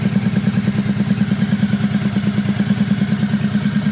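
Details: 1985 Honda VT1100 Shadow with sidecar, neglected and reportedly swamped by hurricane water, running after carb rebuild and priming with the enricher off: even, steady V-twin idle with no knocks or misses. Rust-coloured smoke comes from the exhaust.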